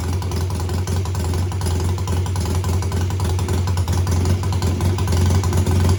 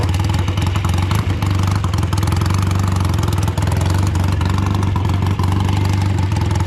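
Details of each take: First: BSA twin-cylinder home-built chopper revved in place, each throttle slide lifted separately and then together, to find which cylinder cuts out. A deep, steady beat builds smoothly with no dropouts: both cylinders pull evenly, and the suspected misfire doesn't show. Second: Old BSA twin-cylinder chopper on short road ride in rain after fuel tank cleaning and fixes: low twin beat stumbling as revs rise, one cylinder not pulling, misfire under load; still running poorly, owner suspects carburetors or ignition.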